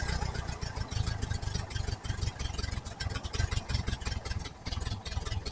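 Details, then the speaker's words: 1968 VW Type 3 Squareback flat-four with original Bosch fuel injection, vacuum leaks fixed: lumpy, uneven rough idle with irregular thumps; backfiring out the intake, timing suspected too far advanced, not yet confirmed. "All right, she's still not happy. but there's no vacuum leaks now."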